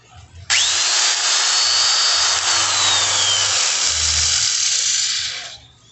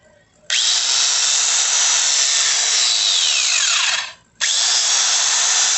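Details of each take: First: Polisher reported to rub somewhere and to smell of burning: it spins up to a high whine over a harsh, hissy scraping rush. An abnormal rubbing noise while running, suspected early internal damage, not confirmed before opening. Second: Angle grinder after repair, brought in for a rubbing noise and burning smell: a sharp high whine spins up quickly, holds steady and even, then coasts down. Smooth, with no rubbing or grinding.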